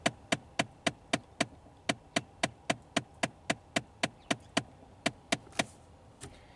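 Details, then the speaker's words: 2015 Ford Fiesta SE at about 40,000 miles, ignition on, switching air modes: sharp, evenly spaced clicks from the dash as the previously replaced blend (mode) door actuator slips internally like a stripped gear. Recirc door works fine; replacing the actuator. "it almost sounds like the actuator is like stripping on the inside it clicks like it's slipping a gear or something it's very very weird"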